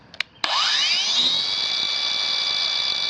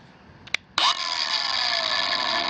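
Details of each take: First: Kobalt 5-in cordless angle grinder KAG 424B-03 on an Extended Run battery: motor whirs up quickly to a high steady whine and keeps running normally. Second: Kobalt 5-in cordless angle grinder KAG 424B-03 on new Ultimate Output battery KXB 424-03: click, motor whines up, then pitch sags and it cuts out though switch still held; battery incompatible per Kobalt support.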